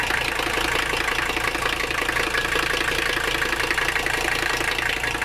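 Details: Mercedes 300CD diesel at idle, after running fuel system cleaner for tank crud: sharp, even knocking around three per second, sounding almost like detonation; hard combustion knock, cause not yet pinned down.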